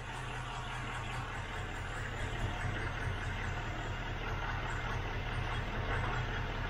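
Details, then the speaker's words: 1972 Range Rover with new fuel filter, cold, running on a little choke: steady, slightly lumpy low idle, even with no misses or knocks; normal cold idle, though a tappet tick and fuel leak are being checked. "it's got a new fuel filter in it just about running off choke it's cold"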